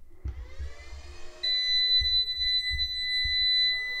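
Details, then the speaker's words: MUST PV18-3224 VPM II off-grid hybrid solar inverter (24 V, 3.2 kW) switched on: a loud, shrill, steady high beep for about three seconds over faint clatter from its startup buzzer, which needs disabling. "пищить ця зараза просто безбожно потрібно вимикати цю пищалку"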